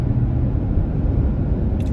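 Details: 2025 Toyota Tacoma with the front air dam removed, driven at about 28–30 mph, the speed where the whistle usually shows up. Steady low road and engine rumble with no whistle or tonal note on top. Normal wind noise.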